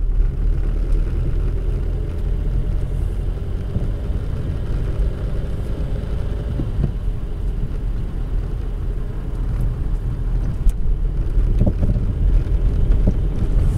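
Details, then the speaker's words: Car coasting with engine off over road bumps: a few dull soft thuds from the rear over road rumble. The cause was found to be a worn rubber bushing at the rear shock absorber mount; rubber on rubber, not metal. "ننزل السيارة طافية وثبتوا معي مليح في الأصوات. الصوت واضح، أما صوت من الخلف أما صوت قوي من الخلف."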